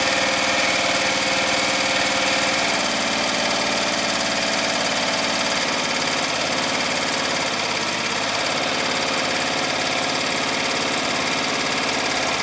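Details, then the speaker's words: Murray Select lawn tractor after an engine swap and a welded muffler repair, at the lowest throttle: a steady, even idle with no hesitation, hunting or surging. The muffler and engine sound healthy. "muffler sounds good engine sounds good doesn't hesitate or surge at all"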